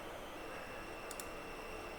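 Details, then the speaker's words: RX 570 graphics card on an uncapped game loading screen at about 2,600 frames per second: thin, steady high-pitched buzz over quiet room hiss; coil whine. "this car is buzzing like crazy you hear the why well it is buzzing because look at that I'm doing like 2,600 frame per second"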